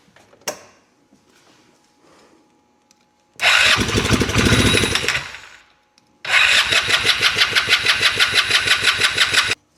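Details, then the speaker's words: Polaris RZR 170 sat about 5 years, cranked via jumped solenoid with choke on after priming the airbox with starting fluid: two bursts of quick even cranking about three pulses a second, never catches; owner suspects fuel not getting through. "Got my choke on still. She's not really getting her gas."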